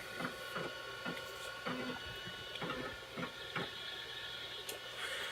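Crisp ticking clicks about twice a second over a faint drive hum: the floppy heads stepping and reading normally.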